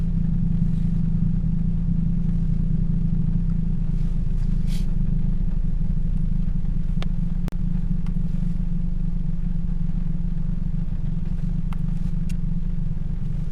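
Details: 2007 Toyota Yaris 1.5L 1NZ-FE four-cylinder; steady, even low idle hum with no stumbles or missed beats, all cylinders firing smoothly.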